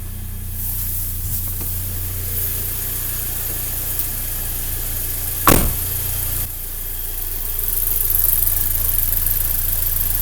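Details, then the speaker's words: Audi A3 first start after repair (timing belt had snapped but valves not bent), fuel and oil primed: starts almost instantly into a steady, even idle with a deep hum and no chain rattle or knocking, one brief bump. "стартуем от винта красота практически с пол-оборота"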